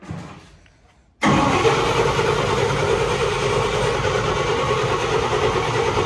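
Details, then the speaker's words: Fire-damaged 1951 Chevy after carburetor flooding: starter cranks steadily at about three turns a second with no firing at all; no spark. "What happened to our spark? No spark? There's no spark. No. Well, that explains it."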